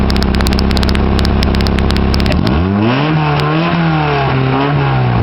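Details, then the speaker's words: 1991 Honda Accord EX coupe, 262,000 on the clock, exhaust leaks: smooth stock-sounding idle, turning loud and raspy when revved above about 3,000 rpm. "you can hear it is leaking a bit but I think it sounds pretty good actually liked it yes it does sound ricey but it doesn't bother me that much sounds better than stock"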